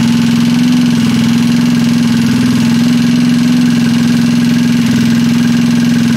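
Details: Freshly assembled Trailmaster 150 stroker single-cylinder engine with cleaned head and valve job: loud, fast, even putter holding steady speed, no knocks or misses; clean, healthy idle.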